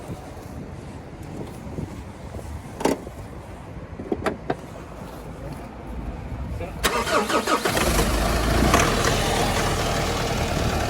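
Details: 2011 Mitsubishi L200 2.5 diesel, automatic, odometer 79,000 km suspected rolled back, damaged body: cranks, fires and settles to idle with a regular knock about three per second; engine knock.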